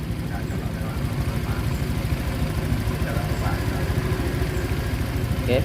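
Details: Honda Vario 125 scooter at idle after a tensioner adjustment fixed a sudden rough ticking noise that began about two days earlier (oil still full, freshly changed); low, steady putter about three pulses a second with no rattle or knock, now smooth.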